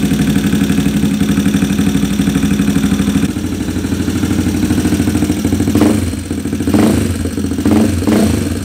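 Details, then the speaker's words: Single-cylinder motorcycle with a racing cam at idle: stumbles and lopes, firing unevenly with dips before throttle blips; rough idle blamed on large cam overlap and tight valve clearance, not the carburetor. "ah malaking overlap Mahirap mag ano mag idle saka kapagka manipis yung valve clearance mahirap siya mag mag idle"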